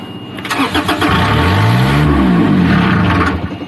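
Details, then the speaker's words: Niftylift HR17 SP50 lift with Kubota diesel, throttle solenoid disconnected: starter cranks, engine catches and climbs briefly, then dies within seconds; starts then stalls, suspected faulty diesel control board. "okay so let's try again to start it up starts and stops"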